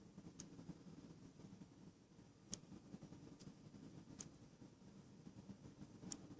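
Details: Samsung Galaxy Note 2 recording video: sharp faint clicks about once a second at irregular spacing over room hiss whenever the phone is moved; owner suspects the internal orientation sensor/camera module.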